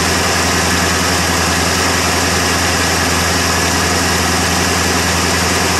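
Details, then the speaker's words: 1977 Ford F150 Supercab Ranger XLT, 460 V8, cold start after sitting, after fixing the brain box, weak battery: steady low V8 idle, even with constant exhaust rumble and no knocks; running normally. "well least she runs anyway had to give the old brain blocks a little bit of an attitude adjustment and make her work but otherwise sh she's a runner"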